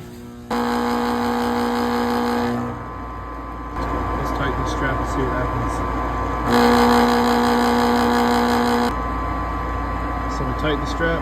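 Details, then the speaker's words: Lennox furnace inducer motor with the flames lit: loud, steady hum coming and going in long stretches with a buzzing vibration on top, caused by a loose mounting strap; it ran much quieter once fixed. "Flames are going okay we got to fix that noise this is quite loose"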